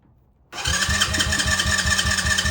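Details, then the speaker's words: Tao Tao 110 mini quad with a swapped Kawasaki KX60 two-stroke engine, remote anti-theft kill switch locked: starter churns in even pulses, four or five a second, but the engine never catches because the kill switch blocks starting. "it won't start it's actually pretty cool and it'll also kill the bike as a kill switch remotely"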